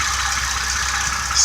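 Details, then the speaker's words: Old six-cylinder running with a vacuum hose in place of the coil wire: sharp crackling sizzle over a low idle as spark jumps from the coil lead through carbon; ignition spark arcing. "it jumping spark up there you hear that you see it hear it that's cool"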